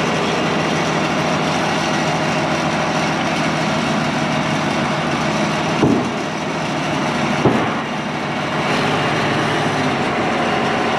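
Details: IH 175C track loader diesel after service and cylinder rebuild, first run backing out of the shop: steady, even rumble with no knocks or misses, just brief load changes; sounds healthy.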